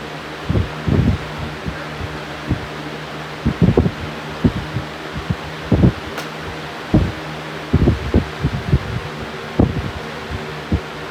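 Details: Fan at full power gives a steady hum broken by irregular low thumps and rattles; fan wobble, owner suspects the blades are out of balance.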